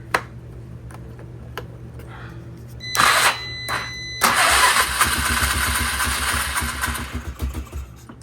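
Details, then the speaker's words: Polaris Sportsman 500 after carburetor float height adjustment and fuel shutoff valve install, cranking on a jump pack with choke; expected to need about 10 cranks to refill the carb: bursts of starter churning with a low chug; normal cranking while fuel primes. "keep in mind it's going to take probably like 10 cranks to get this thing to fire up CU now you got to get gas all the way through everything all the way back up and into the carb"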